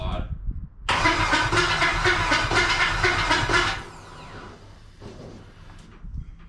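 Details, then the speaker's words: LS-swapped 1988 Firebird, first start attempt with injectors unplugged: about three seconds of cranking with harsh metallic grinding over quick even chatter; no fuel leaks; starter suspected, may need a shim or checking. "oh Jesus oh it's it's a starter go go ahead I think that uh we're not leaking so that's good I think the uh starter and or it either needs a shim or we're going to have to check it"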